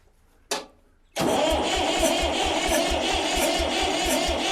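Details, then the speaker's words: Barn-find Massey Ferguson tractor, sat for years, on battery: one click, then strong, even cranking at about three compressions a second with no hesitation. The starter turns the engine over fine. "come on baby yeah listening to him to turn the switch like that and it not even hesitate i know this thing's not gonna be too bad of a challenge to crank right up"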